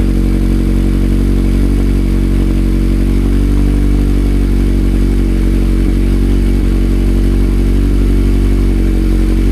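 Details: 2019 Mazda MX-5 Miata (ND) with newly installed Good-Win-Racing RoadsterSport Race axle-back exhaust, first startup, not yet broken in: deep, loud, steady exhaust rumble at a fast cold idle, no misses or knocks; normal cold idle.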